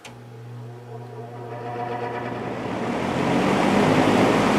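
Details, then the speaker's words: JCPenney 9711 Lakewood three-speed box fan, 3.1 amp GE motor, lubrication still good: smooth motor hum spinning up quickly to a steady even rush of air on high, no rattle or scrape; powerful, healthy. "speed it's a powerful motor that's for sure gets up to speed real quick"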